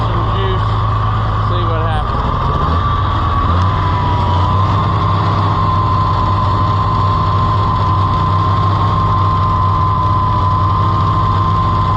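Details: Farmall IH 560 tractor, overhauled and bored about four years ago, timing changed by the owner; a deep, lumpy idle that thumps unevenly. It is missing on a cylinder; an intake-side cause is suspected but unconfirmed.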